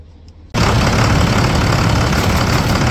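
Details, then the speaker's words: 2004 International 4300 with DT466 diesel, just started after replacing alternator and both batteries: fires at once, steady even idle clatter with no misses; no longer overcharging, batteries and alternator test good, running properly. "Everything is working like it's supposed to. Everything's running like it's supposed to."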